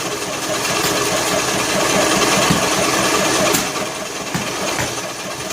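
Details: John Deere L100 lawn tractor cranking on choke, valve cover off; uneven sharp pops about four a second through intake and exhaust, struggling to catch; owner suspects broken flywheel key throwing timing off, or leaking valves.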